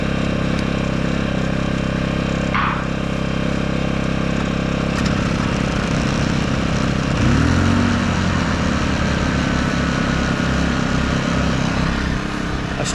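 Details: Two small generators, one run hard and stored outdoors under sun and weather and unused for a while, started side by side; steady even drone with no knocking or surging, both sound healthy; normal running.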